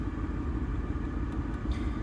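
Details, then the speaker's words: Original 1984 Land Rover 110 V8 petrol station wagon, 4-speed manual, over 30 years old, starts straight away: a low steady rumble with a faint constant hum, even idle with no knocks or misses; a healthy idle. "And because it's such a heavy engine, and I mean in power, you can hear a slight humming all the time. And you can tell this vehicle really wants to go."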